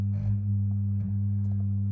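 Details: Original heavy Amiga 500 power supply before repair: steady low hum near 100 and 200 Hz through speakers from about 600 mV peak-to-peak, 200 Hz ripple on the 5 V line, being fixed.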